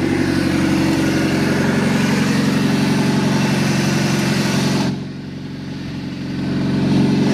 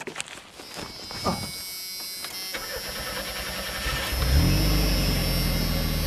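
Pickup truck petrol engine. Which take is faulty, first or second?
second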